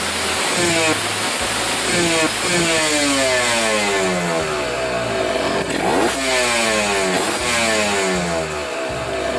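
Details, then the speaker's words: Kawasaki Ninja 150 RR two-stroke, warmed up, after cleaning the dirty carburetor nozzle that caused bad stutter (pilot jet 25, main jet 270, no air filter fitted): crisp clean revs low to high, no misfire. Air-screw setting may still need adjusting. "dari suaranya sih ini udah enak ya teman-teman cuma nanti mungkin butuh setingan anginnya dipastiin lagi"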